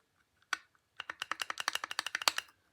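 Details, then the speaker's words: Snapper mower spindle cutaway rocked by hand: sharp light metallic clicks, about ten a second, as the bearing moves in its housing, whose top expanded when the housing was cut; not normal. "the bearing is moving around in that housing that's not normal"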